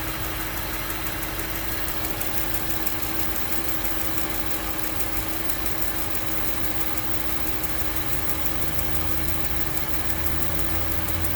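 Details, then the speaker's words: 2008 Range Rover with 169k miles on a cold morning start: engine idles with a light, steady tick of about four per second over the hum, heard after rpm drops and the fan turns on. "So now the RPM just decreased. And I guess the fan turned on. And it's that tick, tick, tick, tick, tick."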